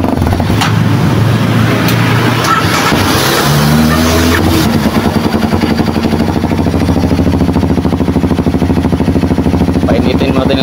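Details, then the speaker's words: Kawasaki KLX 230 that would not start, warming up after troubleshooting, with the fuel pump now buzzing. After a few blips the single-cylinder settles into a steady, even putter of about three pulses a second. "start natin na siya umaandar na siya good na siya yung kx 2 na ginawa natin"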